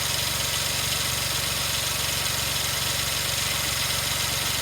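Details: 2003 Suzuki Jimny JB23W with K6A engine, idling around its water pump replacement: steady, even idle with a smooth regular low beat and no knocks, ticks or squeals. Engine sounds normal.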